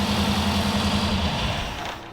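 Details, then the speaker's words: Kip's Willys Wagon freshly started, no coolant, holding fuel pressure: an uneven, lumpy idle that isn't settling. Owner thinks it needs ignition timing and enrichment fuel set; unconfirmed. "We need to give it some timing, it sounds like, and some stuff, but by George, look at that."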